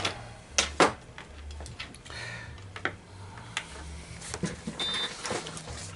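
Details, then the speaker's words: Coinco BA30B bill validator after belt change and reassembly: short motor whir with sharp clicks on power-up, then quiet; normal reset cycle. "all right one push putting power to it and hear it reset"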